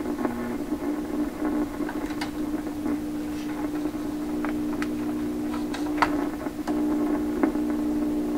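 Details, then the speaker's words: 1928 RCA Victor Model 28V radio, tubes heating, on restricted then full power while hunting for noise and interference; loud, constant warm hum with scattered faint clicks and rabbly sounds, no station received; hum source unknown, shop computer equipment suspected. "kind of a warm hum. A few other rabbly sounds coming in there. These are all heating."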